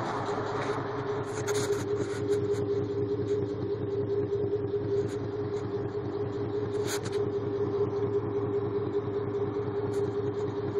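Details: V8 idling with an uneven, lumpy pulse and a steady drone; the check engine light flashed under acceleration and code P0306 set (cylinder 6 misfire), caused by a collapsed DOD lifter.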